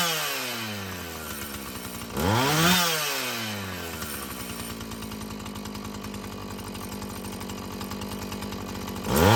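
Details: Husqvarna 445 chainsaw after cleaning and tune-up: revs cleanly to full throttle and back, then holds a steady, even idle without bogging; it runs well, though the carburetor may need more adjusting as its diaphragm loosens.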